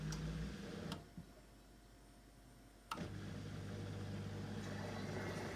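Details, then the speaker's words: Miele dishwasher after the fix for a grinding noise at cycle start, tested on a quick short wash with water in the sump: two soft clicks, then a steady low pump hum and water draining quietly, no grinding. "can hear the water draining through out through the plug hole already so that is working nice and quietly perfect"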